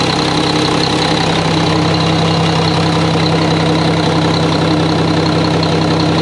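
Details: Mack truck diesel idling after engine reassembly with new parts: steady, even idle with a low, regular beat and no knocks or misses; sounds good, no leaks seen; normal idle.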